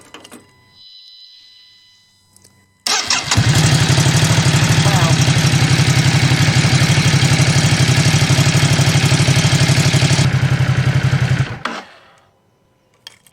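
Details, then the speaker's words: Ducati SuperSport 939 after replacing its 5-year-old battery, which had randomly failed to crank. Strong, even starter churn; cranking voltage now drops only to 11 V versus 9 V on the old battery, and it fires faster on fewer cranks. Normal cranking. "So with the old battery, under the load of the starter motor when it's cranking, the voltage dropped down to 9, but then it only dropped down to 11 with the new battery. And as far as I'm concerned, that fires a lot faster on fewer cranks than it used to."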